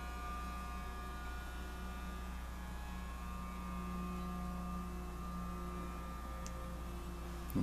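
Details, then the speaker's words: Hardin F-180 smelting furnace heating toward 600 degrees while smelting silver: steady, low, unchanging electrical hum that then disappears as the furnace activates and climbs; cause of the hum unknown. "hear it humming I hope that's a good thing so it's probably gonna heat back up"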